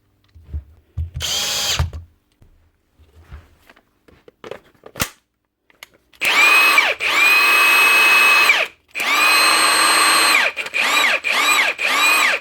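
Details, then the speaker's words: Milwaukee M18 FHIWF12 nut gun after switch cleaning repair (dirt and grease had caused stopping on trigger pull): smooth high motor whine spinning up and down evenly on each pull, clicking gone; running normally. "Clicking noise is gone too. That's her."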